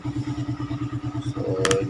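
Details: Raider 150 single-cylinder motorcycle after a cylinder head refresh and valve clearance adjustment to cure hard starting: even putter at about ten beats a second, then a clean rise in revs; valves sound right, runs healthy.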